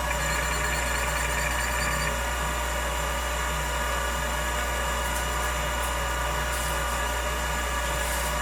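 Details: Old Finch hard drive for a Centurion minicomputer, heads unlocked and spun up while owner fears a head crash: even steady hum with low drone, no screeching, scratching or zinging; heads flew, drive sounds normal.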